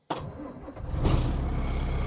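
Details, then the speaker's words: Abandoned 1981 International semi, first start after sitting a long time: cranks briefly, catches first try and settles into a steady, deep, even idle with turbo whistle, almost dying once; normal diesel start. "Dang, she sounds good. Let's hear a little whistle. She's got a turbo whistle. Oh, almost dies there."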